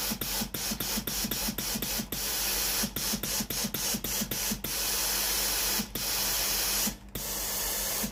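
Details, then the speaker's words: Philips PSG8160 steam iron after repair of a no-steam fault traced to the heater/boiler: strong steady steam hiss with quick rhythmic pump pulses, about four a second, then longer bursts; steam output is normal. "thoát ra bình thường."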